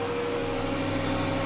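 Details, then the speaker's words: Jaguar S-Type V8 on its first start after a replacement engine, alternator belt not fitted, about -10 °C: low, even, quiet idle on all eight with no misses or knocks; heavy smoke at first, then clearing. "these V8s are known for that yes that is very very smooth"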